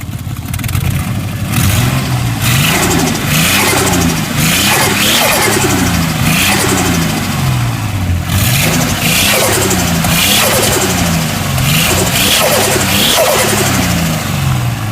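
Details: RB25DET turbo six blipped repeatedly, with sharp ticking puffs cutting through each rev rise and fall; stuck valves or an exhaust leak suspected.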